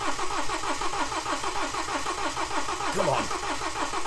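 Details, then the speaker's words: BMW N47 diesel with broken timing chain, engine rebuilt and refitted, fuel rail and pump emptied and completely dry: long, steady real-time cranking with even compression pulses and no firing yet while air purges; expected to take a minute or so. "so let's crank it over and see how long it's going to take I'm going to do this real time I'm not going to skip anything on this so you can see how long it is it doesn't sound too bad on crank I'm thinking this could take a minute or so to turn over it normally would do cuz that F rail was completely dry"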